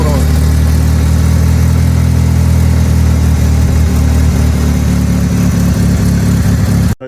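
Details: 1999 Mitsubishi Eclipse, first start in two years after a new ECU install: loud, uneven low idle with ragged stumbles and no settled beat; runs rough for an unknown reason, with heavy smoke from the headers.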